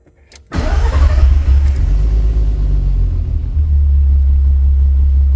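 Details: 1991 VW GTI with freshly swapped 24v VR6, cold (coolant hoses not connected), after starter relay fix; oil pressure about 10 psi below usual 80 psi cold idle: brief crank, clean catch, even low idle, smooth throttle lift; normal cold start and idle.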